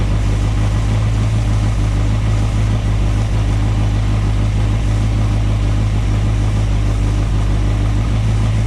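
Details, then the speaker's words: Idle of a 1967 Ford Fastback 289 V8 with a newly installed cam, first run after revival, with high oil pressure. Steady, even low rumble with a faint light valvetrain ticking where the lifters are just audible. Healthy idle. "that new cam sounds it makes it that 289 is surprisingly ballsy sounding"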